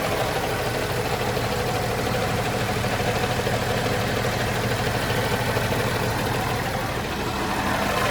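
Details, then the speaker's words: John Deere JD6081H diesel, 10,739 hours, in a 300D articulated dump truck parted out for differential issues: steady, even idle at about 200 beats a minute with no knocks or misses. Runs great, and it is thought to have an exhaust gas system. "I think I saw, it must have that exhaust gas thing, but it runs great."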